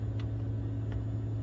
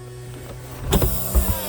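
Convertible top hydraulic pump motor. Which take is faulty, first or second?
first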